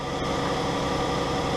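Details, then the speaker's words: 2012 Dodge Grand Caravan 3.6L running on new fuel pump relay bypass (TIPM relay failing intermittently): steady, even idle hum with no knocks, ticks or stumbles; normal idle, working pretty good. "It's working pretty good. That looks good. Everything sounds good."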